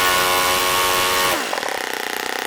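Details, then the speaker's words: OS FS-26 Surpass four-stroke RC engine, APC 9x6 prop, 10% nitro Omega fuel, warm, after needle tuning; high buzzing rev drops cleanly to a soft bubbly popping idle, properly set. "I like to hear that little popping bubbling sound on these four-stroke engines to tell me when the idle sounds about right because it should be kind of bubbly like that"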